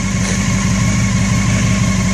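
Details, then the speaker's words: Honda CBR600 F4i stunt bike (2001 bike, 2005 engine) that sat six years in a roofless shed, running again: steady, even low burble with quick regular pulse, no misses or knocks; warming up, healthy idle. "H is sounds like a [ __ ] Formula 1 car that is great the lot piece lives again bike won't die that is awesome"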